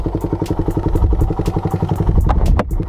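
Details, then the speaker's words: Raider 150 motorcycle just after a new spark plug was fitted: it starts and gives an even single-cylinder thump, about four beats a second, with no misses or knocking. Normal running. "So yun mga ka-reader naikabit natin yung spark plug na sinasabi ko sa inyo. [Musika] Ayan 'di ba? Na-ander naman siya."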